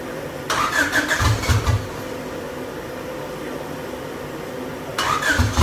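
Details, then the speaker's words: Honda engine swapped into a Volkswagen, first start attempt after checking firing order, spark and fuel: two one-second bursts of cranking chug, never runs; injectors believed not firing, fuel poured down cylinder only made it mutter. "well there we have it guys so the injectors are not firing I guess is what we've came to terms with we dumped a little bit of fuel down the cylinder and it's muttered as you can hear"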